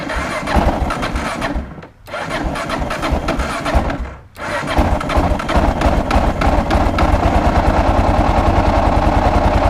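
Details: 2001 Kawasaki KLR 650 with Eagle Mike 685 kit, cold after days unused, carb set for original jets: stumbling cranks die, then catches into steady thumping idle; hard cold start, starts with starter fluid, cause unconfirmed.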